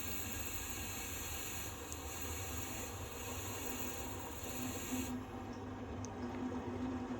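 Steady soft hiss of water running through the open filling loop into the sealed system while pressure builds; normal flow.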